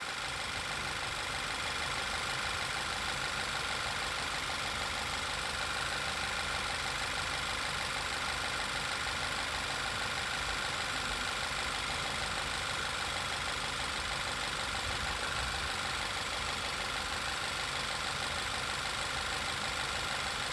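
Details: 2012 Volkswagen Passat TFSI at idle: steady high whistling/whizzing over a smooth idle from a failed PCV valve; such failure can cause misfire, rough idle, lean codes P0171/P0174, oil leaks.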